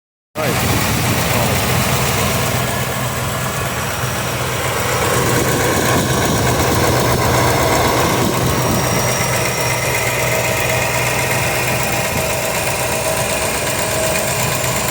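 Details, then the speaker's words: 305 small-block Chevy V8 at idle: a light, quick ticking of about three a second over the rumble, loud on the driver's side and barely heard on the passenger side. Exhaust leak or worn lifter suspected. "You can hear it real good over here on the driver's side. On the passenger side, you can't really hear it."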